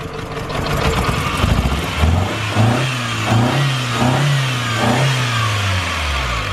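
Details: Stock Toyota Starlet with a cheap head gasket, number 3 injector plug off: lumpy, uneven running with a dull knock coming in as revs climb under load; head gasket blown between cylinders.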